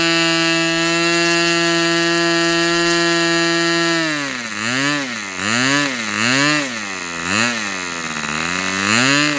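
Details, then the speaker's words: Fox Twin glow engine at full throttle, glow igniter left on throughout: high steady whine then pitch hunting up and down about once a second, running strongly. "This cylinder seemed to be running fine. I maybe I probably should have been taking some uh tack readings with it, but it wasn't."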